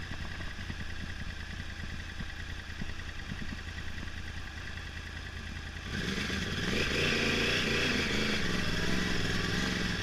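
Uneven exhaust beat with a stumbling, irregular pulse at idle, then a rougher rise in revs; this bike is misfiring on a cylinder.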